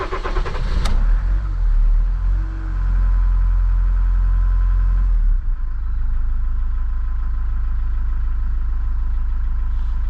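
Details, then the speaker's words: Iveco Daily campervan diesel after draining a water/diesel mix and bleeding the fuel filter: starter cranks briefly, the engine catches and revs, then settles to a steady, even idle clatter with little steam or smoke; runs smoothly. "It's running pretty smoothly. And not too much of steam or smoke coming out"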